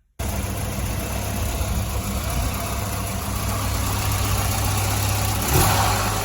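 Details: 1985 Volvo 245 wagon, stock B230F with LH2.2 fuel injection, warm idle: uneven, lumpy beat with irregular stumbles; misfire, cylinders 1 and 2 running cooler, attributed to clogged injectors.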